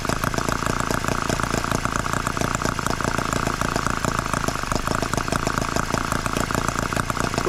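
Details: Microcosm H74 engine after piston ring replacement, tanks of fuel run and several heat cycles, started by drill: a steady, even, fast buzzing run with no misses, knocks or rattles; healthy and properly bedded in.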